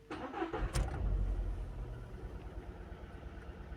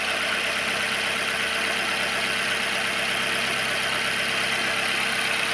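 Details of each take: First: Skoda engine at start-up with P0300 misfire and a blinking check engine light: cranks and catches, then settles into a lumpy, stumbling idle; the cylinder misfire is caused by a bad ignition coil. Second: Car engine at idle in neutral after replacing a bad ignition coil that caused a P0300 misfire, check engine light still on: even, steady idle hum with no stumble, loud hiss on top; engine no longer shaking, running smoothly.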